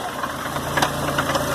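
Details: 1993 Oldsmobile Cutlass Supreme idling: irregular sharp knocks, a few per second, possibly from around the pulleys/power steering pulley or the rods; cause not confirmed.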